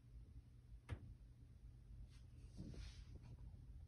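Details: Top-floor (10th) corner unit of a 2020 Montreal condo, boilers and AC not above it, Dec 12 11am: a sharp thump then softer knocks from the ceiling, shifting locations with no pattern; source unknown.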